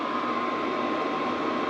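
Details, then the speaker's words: Cheap Chinese diesel heater after re-bending a part to stop suspected fan rub, running about an hour, outlet near 90 degrees: steady airflow rush and faint hum, no popping or rattles; running flawlessly, quiet. "all right everyone that's been running for about an hour now it's been going really good flawless not too noisy"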